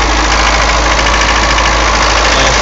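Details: 240D diesel with white smoke, about a minute and a half after the previous clip: idling fast and steady with an even clatter, no dip or hunt, settling at a raised speed. High idle, cause unknown.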